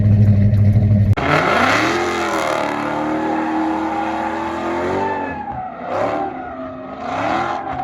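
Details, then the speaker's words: 1976 Plymouth Duster 360 V8, just after replacing the old carburetor with a remanufactured Carter-type 2-barrel: revs up and settles into a steady, even run with no misses, likely still needs tuning; normal running. "You'll have to turn the key for a bit to get some fuel to it, but after that you should hear the song of a much happier engine. It likely needs some tuning, but already this thing is running way better than it did."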